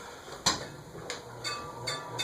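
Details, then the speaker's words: A&G Machinery Corp "Toronado" art deco ceiling fan with CEC motor, run from zero to highest speed: sharp light ticks about every half second over a faint motor hum; something, probably the top piece, is striking as it turns, not confirmed. "Oh, what's hitting? It's hitting the wall. What? The key? Hold on a second. Something's hitting."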